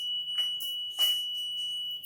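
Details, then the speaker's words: Motorcycle WiFi smart keyless alarm, auto-armed after the bike is switched off and handlebar locked: steady piercing high-pitched tone with light handling noise; anti-theft alarm sounding as intended. "Bunyi alarm ini diaktifkan setelah motor Anda dimatikan dikunci ditutup dimatikan betul kunci stang alarm akan otomatis menyala"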